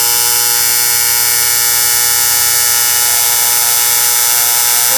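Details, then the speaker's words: TIG arc held on the puddle without filler wire: a constant, harsh, high-pitched buzz like pissed-off hornets that holds steady. A normal, stable TIG arc. "Now I'm going to come off the puddle. Sounds like a bunch of pissed off hornets, right?"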